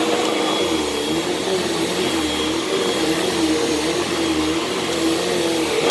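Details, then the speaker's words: Hoover Elite Rewind upright vacuum: steady motor whine with wavering lower tone and faint rubbing; brushroll sounds bad, belt thought shot, needs new belt and possibly new brushroll, otherwise works. "that brush does not sound good I think that belt is shot"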